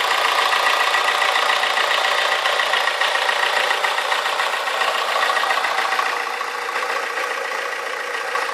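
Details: AE94 Toyota Corolla with 4AGE 20V Silvertop swap, after fixing the idle issue: constant fast light clicking, three or four a second, over the idle; source unidentified and driving seemingly unaffected; engine mount at about 270,000 km lets the car vibrate.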